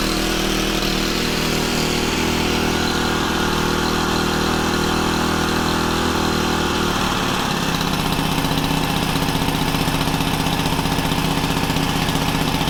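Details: Honda FG110 tiller with GX25 engine, new carburetor, previously ran only on half choke, idle raised to warm up during carb tuning; raised idle with pitch shifting as adjusted, no hunting or stalling; normal fast idle.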